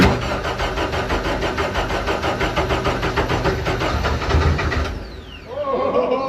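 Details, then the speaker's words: Freshly rebuilt Deep Orange 9 engine on its first start attempt, with about five-second cranks. Rhythmic cranking with a few uneven firing pulses that combust briefly, then wind down; more throttle was thought needed. "whoa that was kind of goofy oh it was so close I mean technically it ran it combusted like we know that"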